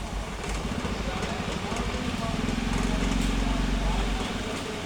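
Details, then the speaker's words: Senior table fan after replacing its worn bushes and refitting the front guard: smooth, even motor hum with no rattle or scraping; running normally. "तो देखिए दोस्तों यहाँ पर अब बिल्कुल भी इसमें किसी तरह की कोई आवाज़ नहीं आ रही है, यानी अब ये बिल्कुल ठीक हो चुका है।"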